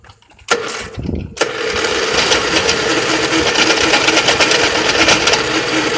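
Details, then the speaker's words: Lawn mower engine that was run until it blew up: a few sharp cranking cracks, then harsh uneven clattering with no steady firing beat; the piston has come off the connecting rod. "See, guys, she would probably start right up, but you can tell she's jumping. The piston's just out of commission now, bro."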